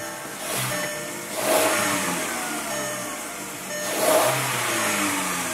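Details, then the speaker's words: MK4 VW Golf 2.0L non-turbo after spark plug replacement (laser platinum plugs, intake refitted, cover off): two clean throttle blips, smooth, no misfire or tapping; noise heard is normal secondary air injection, runs nice and smooth. "runs nice and smooth now this cover is not on quite yet because I was doing some work to it but that noise that was just making is the secondary air injection right here it'll typically make a little bit more noise sounds like it's running nice and smooth"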